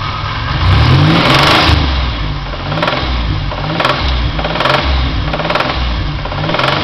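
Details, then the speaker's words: 2000 Pontiac Grand Am GT with supercharged 3.4L V6, rebuilt 2,400 miles ago, revved unloaded in neutral: a hard knock above 2,000 rpm. Oil analysis showed high iron, copper, lead and tin, so the owner suspects rod knock. "and I'm pretty sure that's rod knock"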